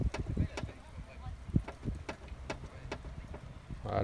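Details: Peugeot 206 front end rocked from the passenger side gives sharp, irregular metallic clunks, but the clunk actually comes from the driver side: a loose anti-roll bar link.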